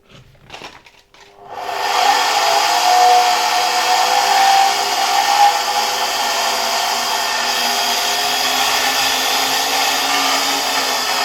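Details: Zelmer 01A vacuum cleaner from 1973, type 34 commutator motor tested removed: steady high whir with a dry rubbing friction hiss; owner suspects the turbine rubbing its housing rather than the motor bearings.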